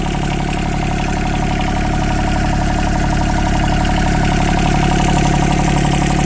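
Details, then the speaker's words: Yanmar 3TNV70 three-cylinder diesel (ex-JD Gator) just swapped into a CAT 300.9 mini excavator, idling at about 65°F: steady even clatter, regular beat, no misses or knocks, real quiet, no smoke; healthy idle. "Real quiet. No smoke. Oh man, that's really good."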